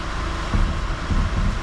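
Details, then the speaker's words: 2013 Mercedes Vito diesel van, steering held at full lock after a new alternator overrunning pulley and aux belt fixed the screech: even diesel idle rumble, no chirp or squeal; belt drive healthy. "no more squeaking whatsoever and that is it that is one repair done on a Mercedes V2 van with the over an alternator poly"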